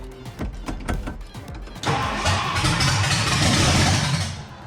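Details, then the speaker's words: 1962 Mercury with shorty headers, first start attempt: about two seconds of slow, even cranking, then a rough roar as it barely catches; ignition timing retarded, about 10 degrees after, hard starting. "We're way late. We're like. Retarded. Yes, the timing is retarded. Yeah. We're like 10 degrees after."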